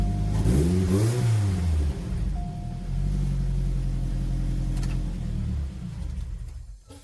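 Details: 2006 Chevrolet Cobalt SS, supercharged LSJ Ecotec, test start after new spark plugs gapped to 0.035: clean rev rising and falling smoothly, then an even idle with no misses; runs the same as before.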